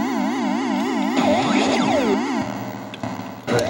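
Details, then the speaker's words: Gorf arcade game board with graphics faults and garbled sound: warbling, sweeping, breaking-up electronic tones instead of clean effects after swapping game boards and custom chips; sound chip suspected, cause not found. "I'm still having some graphics issues and I'm not getting my sound on this one it's not playing correctly"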